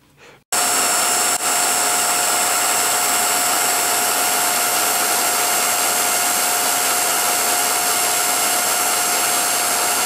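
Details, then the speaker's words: 1949-ish Revere P-90 8mm silent projector under teardown: steady loud whirring drone with a fixed high whine, not running smoothly; dry drive with old hardened grease and a frozen-solid lower chain tensioner, to be disassembled and lubricated. "lower tensioner is completely frozen solid. Or was. So now I've got to take that apart and lubricate it."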